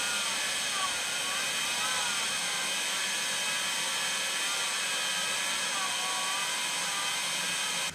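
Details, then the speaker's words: LTO-4 tape drive in an AMD Phenom X4 9600 server writing a backup near completion, up to 2.4 GB/min: steady hissing whirr with wavering warbles likened to bees making cat noises, quieter than expected; normal streaming. "Not as loud as I was expecting. I do compare it to like a herd of bees, if bees made cat noises."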